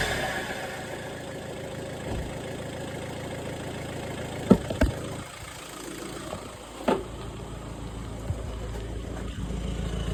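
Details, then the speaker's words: VW Touran TDI diesel after swapping a faulty reconditioned turbo for a scrapyard one to fix a boost problem: quiet, steady idle with a few isolated handling clunks; engine running smoothly again. "All in all, it was the recon turbo that was the problem, and the scrapyard one has got the car running."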